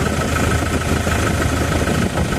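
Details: Isuzu Traviz or Toyota Revo diesel, checked after oil spattered from the open oil filler cap: steady, even idle with a smooth low rumble, no misses, knocks or strong blow-by air from the filler; the engine is healthy, normal idle.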